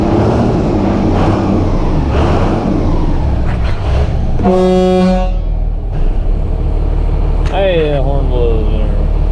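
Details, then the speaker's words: 12-valve Cummins in a service truck, just after a cam and front cover job, fan clutch kicking out: a deep, steady diesel idle with an even beat and no knocks, under a brief horn blast. It smokes a little. "Stinking son of a gun. Boy, she sure sounds good though. Pretty proud of her, guys."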